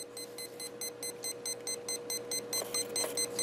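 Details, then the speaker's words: RC AirCore plane power core converted to a Spektrum-compatible HK R415 receiver: fast, even beeping about five a second as the ESC refuses to arm; throttle trim centered, must lower throttle/trim until beeps stop, then motor runs. "we just move this down until the beep stop see how I trimmed that down and after they stop you can move it back up some the motor will start running at a certain point"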